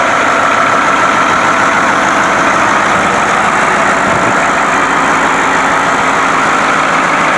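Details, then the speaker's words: White 4-175 tractor on high-speed road test after rear main frame repairs. Its old low hum at high speed, thought to come from worn rear-end gears and broken bull gear teeth, is gone; steady roar with a faint high tone, normal drivetrain. "I just took it on a high-speed road test this uh tractor always had at high high speeds had a hum a very low sound and um all that's gone so I guess that was something worn in the back end those gears and the broken teeth on the the bull gears"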